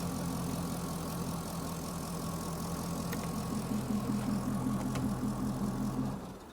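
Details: Chevrolet Corvette with a P0300 code, the next day after an in-cylinder pressure test showed the injectors firing at the wrong time. It idles with an uneven, lumpy stumble about every other beat as a cylinder drops out. The injector current waveform looks fine at about 60 V peak, but cam/crank correlation is off by one tooth.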